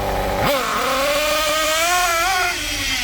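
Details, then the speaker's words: Kyosho MP9 nitro buggy, standard engine a bit worn: throttle punched from idle, sharp snap into a high buzzing rev that wavers and stutters slightly; a bit rich on pickup, low-speed needle could use slight richening. "rich. But, to be honest, you've got to remember that it's not perfect. The engine's a bit worn. So, you've got to tune for the way the engine is."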